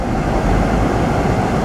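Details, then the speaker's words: 2010 Subaru Forester, EJ25 non-turbo, after timing belt and water pump replacement, coolant bleeding with heater on full: held at about 3,000 rpm for roughly 30 seconds between idles; smooth, steady drone without ticks or squeals; normal running. "Let it idle for about 30 seconds or so, then bring it back up. 3 grand, 3 seconds, or 30 seconds or so."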